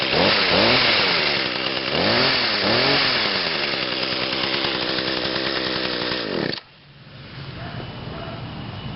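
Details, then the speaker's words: 2010 Echo HC 150 hedge trimmer, 21.2cc two-stroke, after starting on three pulls following a couple of weeks sitting: high buzz revs up and down cleanly a few times, then settles to a steady idle; normal run. "that started on three pulls not too bad after sitting for a couple of weeks"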